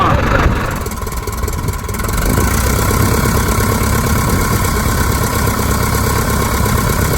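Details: 1946 J-3 Cub engine's first start after a four-year restoration, first time outdoors: it catches and settles into a steady, even beat with no misses after the fuel lines took a minute to prime. Mags and carb heat checked good, temperature a little over 100. Normal running.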